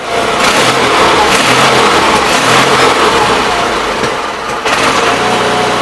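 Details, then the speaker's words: 816 engine just after fuel pump replacement, first start, checked for fuel leaks: loud, steady running, revving up and holding speed with no stumbling or knocking; normal running. "Spewing fuel and it's still running alright."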